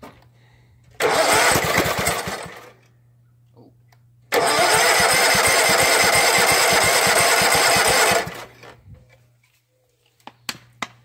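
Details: Flooded Husqvarna mud mower, 18hp Kawasaki V-twin, after about 5 minutes submerged in a pond: on carb cleaner and choke, two short bursts of uneven firing each die within seconds, pointing to fuel starvation from water in the fuel.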